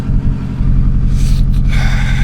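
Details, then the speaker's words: Project car Rita Sue on a cold morning drive: after hitting a flock of magpies it suddenly lost power and ran lumpy and loping under load like it dropped a cylinder; misfire with power loss, cause unknown. "Guys, we've lost power. We've lost power and now it sounds like super impressor. I don't know what its problem is."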